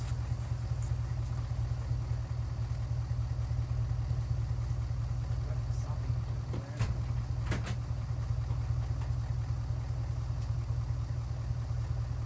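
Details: 1967 Mercury Park Lane with 410 Ford FE engine, cold start attempt: slow, labored cranking about two to three turns a second with no firing, possibly inconsistent spark; slow cranking from a weak, nearly dead battery.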